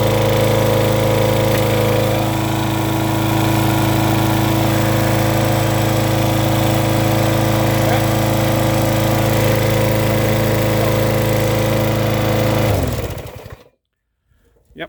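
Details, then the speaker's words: Lawn mower small single-cylinder engine, just after exhaust port thread repair, runs with a loud, hard, even clatter at steady speed then shuts down; oil level checked and fine; owner wonders if it only seems noisier now the exhaust no longer leaks. "hella noisy though sounds like it's running with no oil in it"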